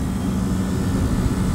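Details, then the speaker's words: Refrigeration system compressor starting after temp control opens, during refrigerant charging (about 18 of 25.2 lb charged): steady even low hum, no knocking or rattle, running in correct direction; normal running. "compressor sounds good I like it right on"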